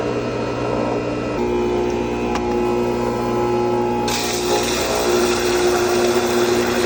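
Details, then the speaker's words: Replacement 240 V pool pump motor, bench-run before refitting: smooth, steady hum at constant pitch with no grinding or rattling; normal running. "before I put that back on the motor I want to make sure I hear a nice motor hum okay yep okay sounds good"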